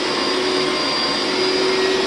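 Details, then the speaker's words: Hoover SteamVac Widepath, about 20 years old, doing a hot-water carpet extraction pass: loud, steady suction roar with a thin high whistle, the noise that signals the recovery tank is full and must be emptied. "All right, that noise means that the recovery tank is full, so I need to go empty it."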